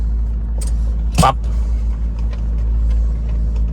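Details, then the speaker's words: Mazda3 1.6 petrol with an automatic transmission slipping on shifts, just started cold: steady, even hum at a fast idle around 1,800 rpm with one brief clack early on; normal, revs drop once the engine warms. "นี้รอบเครื่องยนต์เร่งที่1,800นะว่าอุณหภูมิด้านนอกหรือว่าในเครื่องยนต์แต่ยังไม่ได้อุณหภูมินะคือต้องรออุ่นอุณหภูมิให้ได้คงที่ก่อนนะเครื่องยนต์เขาก็จะลดลงนะฮะ"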